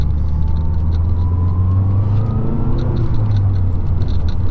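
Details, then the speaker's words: 2012 Mazdaspeed 3 after a new transmission mount install. Engine drone under light load with a faint rising gear whine, now more audible as vibration transfers to the frame; this is normal. "oh man there's like a a nice little little whne as well that I can hear more now that's really cool I love being able to hear the engine because then it lets me know when something is wrong"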